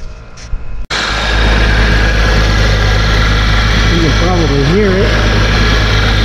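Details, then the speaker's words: 2001 Porsche Boxster engine idling while warming up, heard at front of engine: wavering chirp-squeal rising and falling over steady idle; an accessory belt pulley bearing had failed and broke apart. "I knew it was one of the pulleys. Is this one right here? Look at this. That is no good. So that's what's causing the problem."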